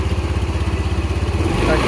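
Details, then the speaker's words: First-generation Honda Beat FI after CVT repair for a marble-like clattering rattle: even, steady idle pulse with a smooth low drone and no rattle; worn bearing and part replaced, normal CVT idle. "udah hilangkan bunyi kletek-kletek tadi"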